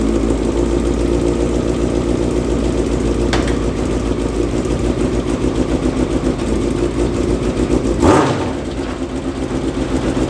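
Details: Yamaha FZ6 engine in a homemade kart with new stainless exhaust, first runs: even crisp beat holding steady with a quick throttle blip, no misses or knocks; healthy.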